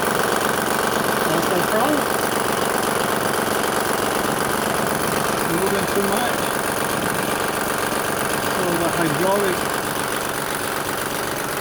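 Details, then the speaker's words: 2007 Honda Pilot at idle: a light, uneven rattle from the front of the engine, with the timing belt tensioner visibly moving up and down too much. "You can hear the rattle. Can you hear it? So let's take a look. As you can see, you can hear all the movement. See how the tension moves up and down like too much."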